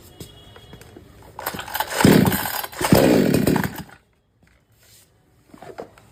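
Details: R Yantra 58 cc chainsaw: fires and surges unevenly a couple of seconds, then stalls when throttle is pressed, no pickup under load; new spark plug didn't help, dirty carburetor suspected, cleaning next.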